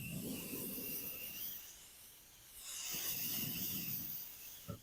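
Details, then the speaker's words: HVAC unit that stopped cooling well, UV dye leak search with mic brought up under the evaporator coil: faint steady hiss rising and fading as mic nears, refrigerant spewing from a leaking evaporator coil. "We found where the leak's at. I can actually hear the refrigerant spewing out of there."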